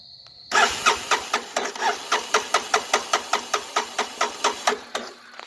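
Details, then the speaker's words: 1985 Honda Big Red 250ES three-wheeler, not started in a long while, starter getting warm; steady starter chugging for about five seconds without firing, long no-start crank after sitting. "this thing takes forever to start when it sits oh i think i heard it oh it's getting there maybe if i keep doing little cranks it'll fi actually fire fi"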